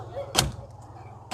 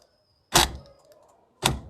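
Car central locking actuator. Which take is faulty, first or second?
second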